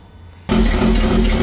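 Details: BMW E24 with swapped B58 engine on SCS Delta ECU, first start before tuning: engine catches abruptly, then idles with an uneven, lumpy pulse a few times a second; rough, unstable idle. A separate transmission noise is also noted. Cause suspected, not confirmed.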